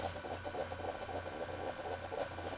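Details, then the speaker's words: Keurig coffee maker water pump before modification: quiet, fast pattering buzz from the small pump running steadily, but water only trickles out and the heating element cuts back in; weak pump flow. "still not pouring any water there it is that's coming out just a little bit it's just trickling out of there"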